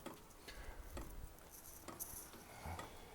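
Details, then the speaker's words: Vevor 5kW vertical all-in-one diesel heater, first startup, fan running: crisp even clicks about twice a second as the dosing pump primes fuel through the line; normal. "I'll just keep watching and see if I can't see any fuel coming through yet the pump is pumping"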